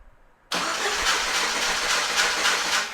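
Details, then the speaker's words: 1997 Jeep Wrangler first start after starter install: engine catches at once and runs fast and quiet on top, showing oil pressure, with rough regular scraping as the starter rubs the transmission shield, which needs repositioning. "Yeah, something's rubbing there and I know what it is. I got to unbolt the shield around the transmission and reposition that just a little bit."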